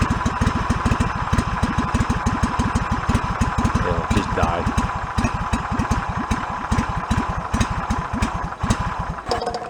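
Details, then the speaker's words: Yard-sale John Deere mower with a long-running flooding problem. Single-cylinder engine putters unevenly and stumbles toward dying. Believed flooded with too much fuel and stalling itself; rough idle and stalling. "what is dying for is in fact it just got so much fuel so you know it got flooded out and killed itself"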